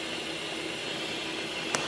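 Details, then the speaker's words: Vehicle with P0174 lean code, smoke test at idle: steady airy hiss over a faint engine hum; intake vacuum leak apparently at the bottom of the EGR tube or base, caused by rust. "basically you can see that Smoke's coming up I can actually hear it so I can hear the air pissing out"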